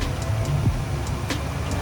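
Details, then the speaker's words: Cold carbureted V8 in a Chevy C10 on a new carburetor, now idling steadily after the choke thermostat was adjusted to about a 1/8-inch choke-plate gap; it had been dying at idle with the choke fully shut. "that sounds a little better at least it's idling"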